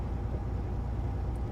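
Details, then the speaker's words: Diesel truck's first run on new injectors, recorded by lapel and dash-mounted microphones: even, steady rumble with no stumble or skipped beats; normal running on all cylinders after an earlier one-injector misfire. "it sounds so much better it had a little like a bit of a misfire before before it sounded like a freight train you can hear that one injector misfiring now it's"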